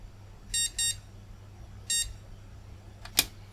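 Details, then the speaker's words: Flea-market retro PC motherboard after reseating RAM in another slot: three short high beeps, first two close together, third after about a second; board working and passing startup POST. "oh and it's working and now it bleeps okay"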